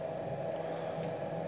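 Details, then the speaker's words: Replacement fan on homemade gas-cylinder wood stove, microphone placed near it: soft steady airy hiss with faint even hum, no rattle or rubbing; barely audible yet blows air well, checked with a sheet of paper. "вот он работает его не слышно сейчас тоже проверим на листик то есть отлично подает воздух"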